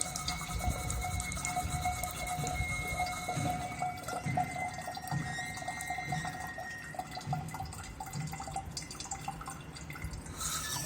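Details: Faucet dripping irregularly about once a second under a thin, steady high-pitched whistle. Owner suspects an aged, hardened rubber washer or a faulty ceramic valve cartridge; cause not confirmed.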